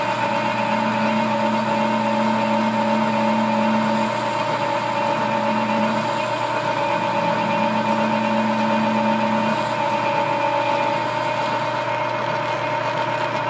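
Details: Machine tool under cutting load: a dual belt drive through the gearbox with badly worn belts gives a steady hum with an on-off rubbing whine as the cut bites, not tool chatter; worn drive belts slipping under load.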